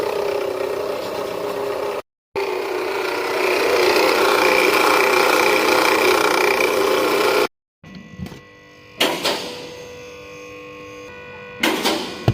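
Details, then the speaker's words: Nissan Teana (天籁), engine running: constant raspy "zila-zila" buzzing squeal heard from inside the cabin and at the front; traced to the alternator belt pulley, found worn after removing the alternator belt. "坐在车里面应该能听到那种滋啦滋啦的声音了吧？这个就是大家经常在网络上面说的异响。"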